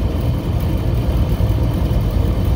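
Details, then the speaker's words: AC on first stage in over 100-degree heat, pressures, superheat and subcooling about right: the compressor gives a steady, heavy, loud low rumble that won't quiet down; suspected inefficient compressor, not confirmed. "the compressor's not really quieting down too much but pressures are looking good superheat sub coins about where it should be yeah i'm not gonna put any more gas in it this i don't doubt that that compressor is inefficient and there's issues with it um"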